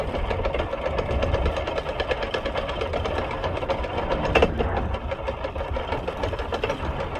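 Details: Vespa P125x with VMC Stelvio 177 kit, primary/cush drive gear damaged by shifting at wide-open throttle backwards during an uphill plug chop test: a steady, rapid mechanical clicking from the running engine.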